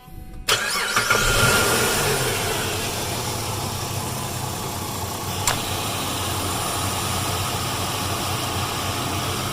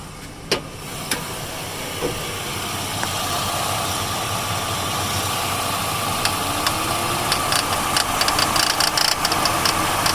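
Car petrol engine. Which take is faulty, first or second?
second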